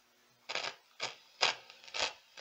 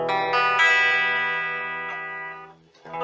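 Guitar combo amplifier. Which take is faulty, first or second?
first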